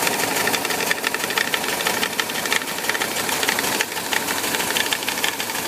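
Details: VW Bus Type 4 engine at idle: loose, uneven knock from the 12 o'clock position on the cooling fan over a bright, busy engine clatter; knocking noise, cause unknown.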